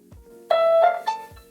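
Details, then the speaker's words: Dreame D10S Pro robot vacuum after a factory reset via the reset button next to the Wi-Fi LED, done before rooting: a short, clean melody of a few tones right after power-up, the normal startup chime. "It will take a few seconds and you'll hear the startup sound."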